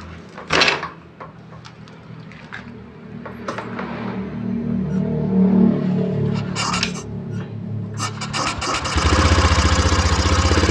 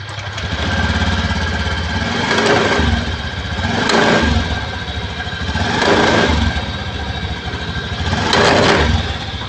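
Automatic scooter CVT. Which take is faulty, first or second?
second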